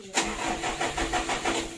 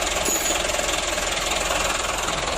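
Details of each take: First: Mitsubishi Canter diesel truck that is hard to start needs a touch of throttle to catch: sharp click, then slow, uneven cranking pulses. Hard starting, addressed by adjusting fuel load, governor and idle. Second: Mitsubishi Canter diesel truck after fuel load, governor and idle adjustment, now starting easily; even steady clatter at idle with no misses or stumbles; normal idle.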